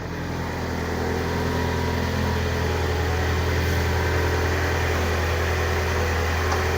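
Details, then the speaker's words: Car engine after tensioner bolt work (engine lifted) for an intermittent growl: steady low idle hum, no growl or grinding from the belt pulleys. "mesinnya sudah aman ya untuk suara mesinnya gak ada yang memang"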